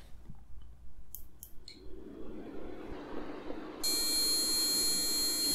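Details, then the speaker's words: Older Intel dual-core LGA 775 PC, Gigabyte G8 945 PL-S3 motherboard: fans spin up, then one continuous high-pitched beep once the speaker cable is connected, though the computer boots and functions normally; cause unknown. "after inserting the speaker cable I add the exact same long be code despite the computer turning on and functioning"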